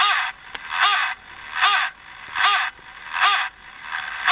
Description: When I start the charging process a strange voice comes from the fan of the Turnigy ACCUCELL-6. After about 10 seconds everything seems OK.